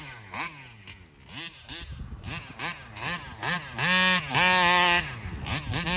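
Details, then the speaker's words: Taylor RC 35cc reed-valve two-stroke freshly installed in the Punisher RC car, being tuned at the fairgrounds: repeated rev bursts whose high buzz wavers and stutters near the top; high-rpm flutter, engine also won't idle, cause unconfirmed. "okay yeah I still haven't been able to get rid of that flutter on the upper end"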